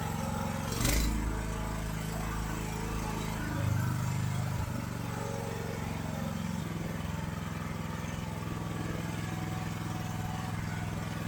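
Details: AGT LH12R mini excavator with a RATO engine, whose factory high idle causes jerky operation. The engine drones at a fast, busy idle, then settles lower as the governor adjuster is turned counterclockwise to reduce idle speed.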